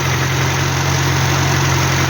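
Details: Hillman Superminx with a new Powerspark electronic ignition module and Lucas coil, restarted with timing okay: a steady, even low idle hum with no misses, stumbles or ticking, starting without problems.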